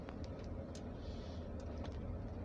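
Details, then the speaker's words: Toyota Camry after moon roof mounting bolts were loosened and retightened, driving a very rough road where the clunk used to occur: only low road rumble, no overhead knock or clunk; roof quiet. "this is where I usually hear the noise before although I've been driving for a while now and um I've gone through several rough road and has stopped"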